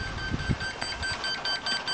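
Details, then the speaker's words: Circa 2001–2002 beige desktop PC found at the roadside, powered on: rapid string of short high POST beeps, about five a second, over a loose clattery rattle; power supply fan later started, and reseating RAM and graphics card gave a picture. "okay the monitor's on it's making some beeping noises now followed by more rattling"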